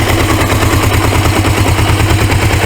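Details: 1980s Suzuki GS450A automatic in drive (second/high) gear, motor running well: rapid, very regular metallic rattling pulses. Owner says the transmission is messed up; unknown whether it does this under load.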